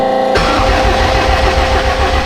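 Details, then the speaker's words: 1000hp AWD Honda Civic after rebuild and long storage since June, cranking with injectors and coil packs disconnected to build oil pressure: even rhythmic cranking whir, no firing or dragging; turns over cleanly, oil pressure reached. "It's turning over beautifully. Okay, we got oil pressure."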